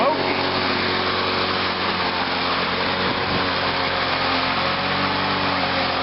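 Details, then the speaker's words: Lawn-Boy mower with Walbro carburetor just after carburetor cleaning, started on choke in cold weather: steady high single-cylinder buzz holding speed without surging or missing, slight cold hesitation; runs perfectly. "yeah she just runs perfect it's kind of hesitating a little bit because it is a little cold out here"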